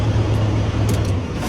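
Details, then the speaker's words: Volvo FH12/FH13 truck diesel that wouldn't crank on the starter, now starting and running normally after refitting relay 3; deep, even drone holding steady with no stumbling or clatter. "Είναι ο ρελέ του 3, αυτός εδώ, που βρίσκεται στη εδώ τη θέση, που πάλι το δοκιμάζουμε τον έναν πάντα. Και θα πάρει κανονικά μπροστά."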